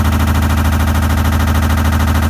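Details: Samsung washer after recall work and drum replacement: loud fast steady pounding deep in the machine during spin; drum banging, cause unknown.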